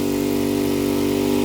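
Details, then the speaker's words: Craftsman DLT 2000 riding mower that previously wouldn't climb a hill, after repair, now climbing the same incline. Steady, even engine drone holding pitch with no stall or bogging; drive and engine work normally under load. "Well, it's working. So, we ride downhill. Bringing it around, coming back up the hill. This is where it wouldn't budge before."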